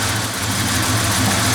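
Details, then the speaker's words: 1988 Ford Ranger cold start after intake cleaning, timing slightly off: even, slow idle stays around 800 rpm instead of the normal 1,500 to 2,000 rpm cold fast idle, struggling with slight backfiring; cause undetermined. "It is not doing its warm-up idle. It just tries to drop it right down to the 800 or so, and of course it's not able to maintain that when it's cold."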